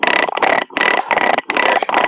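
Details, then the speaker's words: DIY lat pulldown with a heavy-duty garage-door pulley used about two months, tested with no weight: rough scraping rattle with each pull, about two strokes per second. It gets noisier with more weight. "It works, but it's really noisy, and the more weight that you put on that, the noisier it gets."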